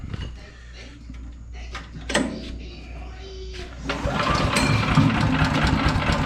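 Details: PowerMate 212cc wood chipper, used once then broke with something wrapped inside, fuel on, pull start: after clatter it catches and settles into an even steady putter, no misses; owner hears an unfamiliar noise afterward.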